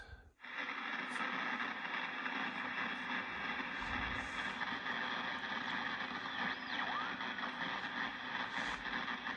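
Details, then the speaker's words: National NC-303 receiver on 10 m after its internal hum was fixed: steady hissing, sparking crackle buries the band; owner suspects external interference from neighbours, a powerline or house wiring. "I have static I have interference from the neighbors or some electrical short in my house or someone else's house so something else to figure out"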